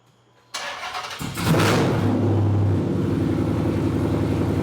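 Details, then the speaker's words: Dodge SRT8 Challenger's first start after installing 1 7/8 in American Racing longtube headers, running open headers with hood shut: quick crank, catches with a brief rev, then a deep, steady idle with a slight choppy lope; healthy start and idle. "That sounds good. Got a little chop to it. That thing sounds great. Totally tell the difference."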